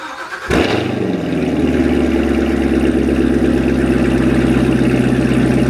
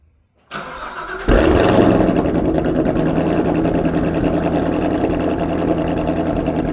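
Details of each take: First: Corvette Z06 V8 after maintenance, owner having worried about plug wire arcing: quick crank, then a smooth, steady, deep idle with no misfire stumble; sounds better than before. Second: Corvette Z06 V8 cold start, previous owner's clip before shipping: starter catch, then a loud idle with an uneven, stumbling pulse that sounds like misfiring; cause unconfirmed.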